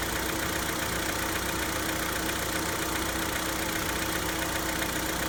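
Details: Hyundai Santa Fe G4KE engine on cold start: cold idle with light, fairly regular tapping about two to three per second over the engine hum; a cold-start knock.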